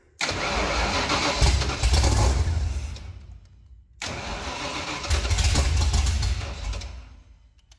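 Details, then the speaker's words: Abandoned supercharged 1965 Ford engine, never previously running, timing assumed, fed by a lawnmower carb on first start: two crank-and-catch attempts, each firing into a rough but even burble for a couple of seconds before dying; sounds healthy. "Oh my god, it sounds good."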